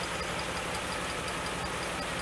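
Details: 1988 Pontiac GTA, 45,000 original miles, new fuel pump fitted, about four minutes after a cold start: a quiet idle with regular light ticks and an uneven beat, running rough with pinging. Timing seems hot and the mixture is suspected; unconfirmed.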